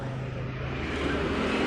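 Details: 2020 Yamaha NMAX new scooter started remotely by aftermarket alarm app voice command: engine running steady and even with smooth low hum, no knocks or misses; healthy idle.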